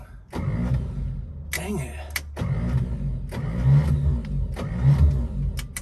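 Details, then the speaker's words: 1955 Chevy being revived after sitting; starter grinds in short labored bursts, hanging up mid-turn; turning crank via belt didn't help; owner suspects a bad flywheel spot, possibly the starter. "ah nope does anybody know what that is i'm assuming it i mean i've always assumed it was the flywheel had a bad spot yeah um but i guess it could be the starter"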